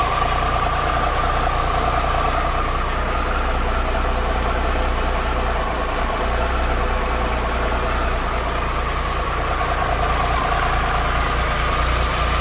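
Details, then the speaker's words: 2013 Triumph Tiger Explorer triple at 34,000 km, idling after cam chain, hydraulic tensioner and header gasket replacement: steady even idle with a light soft tick, nothing excessive. The owner attributes the earlier ticking likely to the cam chain; the engine now sounds healthy. "so right now the engine is very less noisy and it doesn't make any like excessive ticking noise after this this replacement"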